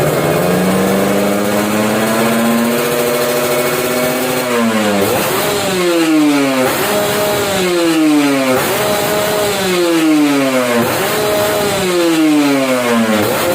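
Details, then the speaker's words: Kawasaki Ninja RR SE two-stroke being restored, stock engine with RC3 L-neck exhaust (39 chamber), tuned at pilot jet 27.5 and main jet D270, KX reeds: crisp blips climb cleanly and fall back quickly, no stumble or flat spot; normal revving. "kurang lebih suaranya seperti itu ya RPM udah bagus setelan juga udah bagus"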